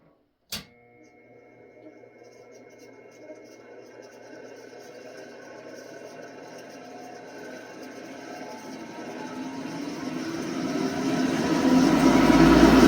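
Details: ILG 10-P blower, 1/3 HP 3400 RPM three-phase motor, started on single-phase 240 V with a 10 µF run-capacitor static phase converter, heard from intake side; spins up with rising whine and rough gritty hum from worn, noisy bearings not yet replaced.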